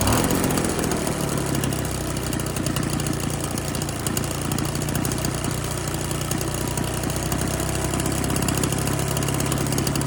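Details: Husqvarna 130BT leaf blower two-stroke with aftermarket carburetor, no blower tubes or air filter fitted; even buzzy drone at steady speed without surging, reaching full RPM unlike the earlier lean, bogging carb. Normal running.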